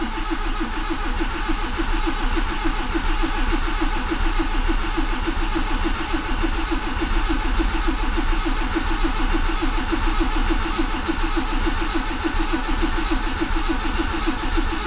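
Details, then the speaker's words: Proton Wira after oil-leak, sump, valve cover and overheating repairs, fresh oil and water added, distributor unplugged: steady even starter cranking with regular compression pulses, no firing; oil light goes off as pressure builds, oil pressure good. "There we go. Oil light went off. That means that the oil pressure is good."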